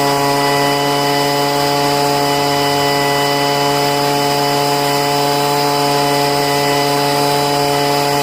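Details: Poulan two-stroke leaf blower after five months of storage and richening the high-speed mixture screw: steady high-revving scream, pitch dead even, no stumbling or surging; running clean.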